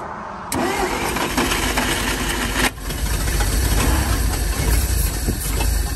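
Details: 1947/1949 International 1-ton flatbed truck, sat about 50–53 years, on used plug wires, fed gas and starting fluid: starter whirs, engine catches abruptly, runs rough and uneven, fighting to stay lit; ignition coil failing.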